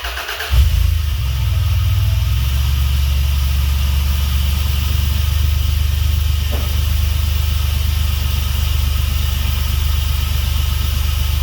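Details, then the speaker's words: Dodge 3.7 swapped engine in truck after reinstalling with new reluctor ring to fix no-start: cranks briefly, catches cleanly, settles to steady even idle with no misses or knocks; starts and runs properly. "okay well she wants to run so i guess i can put the relay back in fire it up see if it'll stay right"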